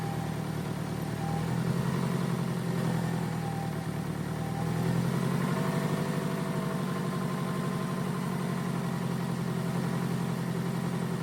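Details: 2002 Toyota Camry that sat for over 5 years after shutting off while driving; the coil pack wiring harness was found cut and has been repaired. Steady, low, even idle with no misses, knocks or rattles. Engine running smoothly.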